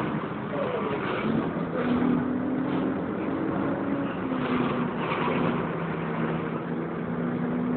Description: The screeching noise sounded like a tyre burnout even though it is actually coming from the cooling fan area.